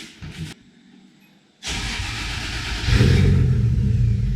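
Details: 1JZ VVTi-swapped Nissan 240SX (S13) coupe, first startup with a new TIG-welded exhaust replacing an open downpipe, still on an untuned map: catches after a couple of seconds, idles lumpy and uneven, rising as it settles; needs tuning.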